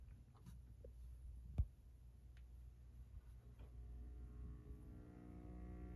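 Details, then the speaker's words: 1940s Zenith five-tube vacuum tube radio, power cord temporarily repaired, first power-on: near silence, then a faint low hum slowly builds after a few seconds as the tubes warm up; normal warm-up. "one of the neat things about uh these old radios is they use vacuum tubes and vacuum tubes uh usually take a little bit to start working"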